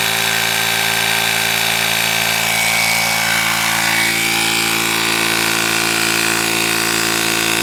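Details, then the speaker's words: Portable cordless tire inflator filling a tire from 4.5 to 40 PSI over about 13 minutes: steady buzzing pump hum with an even pulse of about four strokes a second, no strain; works properly. "It took about 13 minutes, and it is fully inflated to 40 PSI. So, it does exactly what it says it does."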